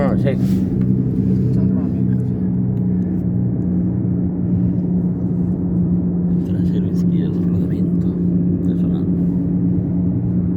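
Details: Toyota RAV4 driving, heard inside the cabin; steady low droning hum and rumble over road noise with slight vibration felt; damaged rear left wheel bearing.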